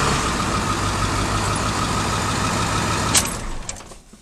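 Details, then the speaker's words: 2002 Ford F-350 with the 18-year-old 7.3 Powerstroke diesel, cold morning (about 10 degrees), after a coil-spring axle/frame swap and an oil pan and seal refresh: steady, even diesel clatter at idle with no misses or knocks, then a clean shutdown. Normal idle. "but for the most part this thing starts runs drives everything's done basically"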